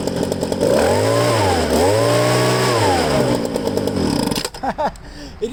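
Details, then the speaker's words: Used Ryobi two-stroke handheld blower from a garage sale, primed, no choke, tank emptied, running on leftover fuel in lines; catches, revs cleanly twice, then winds off and stops; good compression, sound engine. "but I guess the fuel in fuel lines were still good and I was using that to keep running so that's pretty cool right there"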